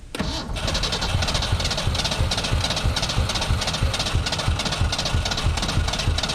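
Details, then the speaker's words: 1991 Ford Ranger STX abandoned in woods for years, old bad fuel in tank: slow, uneven cranking about three chugs a second, weakening as the battery dies, never catching; cranks but won't start, cause unclear. "my battery's plumb more down to the point where it don't want to crank now and i hate to give up on the old girl like i said but running out of daylight my batteries died and the most frustrating part of this is it it's you can hear it it's right there it wants to go"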